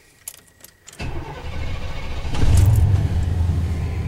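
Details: 1993 Chevy Silverado with an intermittent hard start, new fuel pump relay did not cure it; PCM or a bad wire now suspected: key clicks, starter churns about four beats a second before the engine catches and roars up; extended crank before start.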